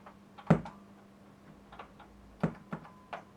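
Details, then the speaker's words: Amplifier-tuner combo (SD530) making irregular sharp ticks, a few per second, over a faint steady hum; abnormal ticking defect of unknown cause. "making some properly weird sounds interesting defect though"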